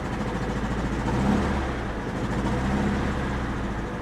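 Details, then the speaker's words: 1993 Grand Am, 70K miles, auction car: petrol engine idles roughly with uneven, stumbling misfire, check engine light on; suspected bad gas (rotten fuel smell from exhaust), long coil pack under valve cover or weak fuel pump, not confirmed. "i mean it's definitely not running great there's so many things that could be it could be bad gas it could be a bad coil you can hear it's definitely misfiring"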